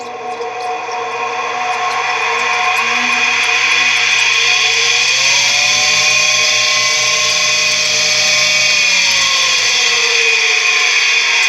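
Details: Tempstar furnace draft inducer motor with worn, dry bearings, found turning very slowly and seized; a harsh high-pitched whine and screech as it struggles. Lubricant spray frees it as a temporary fix on a warmer day until replacement.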